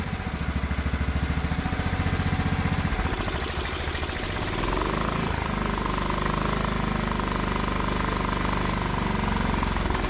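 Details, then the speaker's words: Craftsman riding mower engine with carburetor and spark plug swapped from a donor engine, idle adjusted and fresh 10W30 oil: uneven, lumpy chugging of three to four pulses a second with unsteady speed while old oil smokes off; still rough. "Don't mind that smoke. It's just that oil burning off, but it's running now. Still pretty rough."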